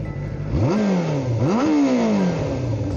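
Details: Restored 1989 Yamaha FZR 400 inline four, fully warmed up, stopped roadside for a sound check: blips crisply from a lovely idle, revs rising sharply and falling back cleanly twice, no knocks or misfires; healthy engine.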